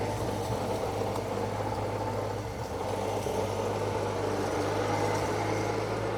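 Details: Circa-1952 Austin 6-cylinder petrol truck, possibly stood over 20 years, restarted fully cooled down with no added fuel: steady even low idle with smooth unbroken rumble, no knocks or misses; normal idle after restart.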